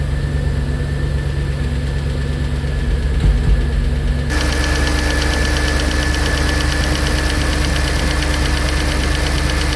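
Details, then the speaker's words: Audi A6 C5 4.2 V8 Quattro first start after replacing non-return (drain-back) valves and repairing intake manifold, heads drained of oil, no fuel in system: catches to a fast idle with light quick top-end ticking; dry hydraulic lifters until oil reaches them, then sounds good. "I think we hear the lifters because Yeah, now it's done. For sure we must the lifters uh was so present because there was absolutely no oil inside."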